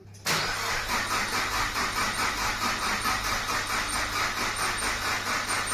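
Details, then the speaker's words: JDM Nissan Pulsar GTI-R after intake manifold refit and coolant pipe change: starter churns evenly but never catches. Owner suspects fuel lost from the system and cannot hear the fuel pump priming. "let's see if we can get some juice in it normally I like to it a couple times let the fuel come up cuz we did lose some fuel the system"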